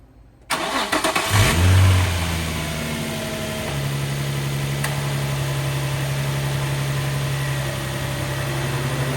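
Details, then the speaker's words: Nissan 350Z VQ35 engine after replacing the serpentine belt and tensioner pulley: cranks, catches with a brief rev, then settles to a steady even idle with the belt squeal gone; normal start and idle. "And the noise is gone. It's fixed."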